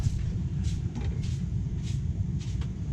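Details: Deep boiler rumble with sharp knocks about every half second: water hammer as an overfilled steam boiler heats, with water slowly leaking past the auto-feed solenoid; banging stopped after draining and refilling.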